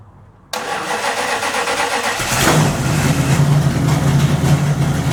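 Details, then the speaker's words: 1929 Chrysler, first start after a few days with new DIY 2.5-inch exhaust headers and downpipes fitted, mufflers not yet on: brief cranking, then it catches and settles into a steady, even low idle with a smooth exhaust; normal start and idle. "Sounds more like a motor now."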